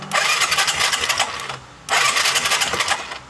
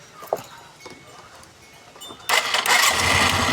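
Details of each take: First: Skydrive 125 scooter that suddenly died and would not start even after carburetor work: two rough push-start bursts of chuffing, rattling noise that never catch; ignition coil spark strong, no start later traced to a failed spark plug. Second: Skydrive 125 scooter after replacing the failed spark plug: quiet starter whir, then it catches on one push of the starter and settles into a steady, crisp idle; normal start, plug was the only problem.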